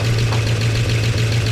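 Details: 1969 Chevy C10 engine idling after timing adjustment, oil pressure restored to 50 psi on an added gauge. Steady, even low idle, smooth beat, no knocking or ticking; sounds better, flush and oil change still planned.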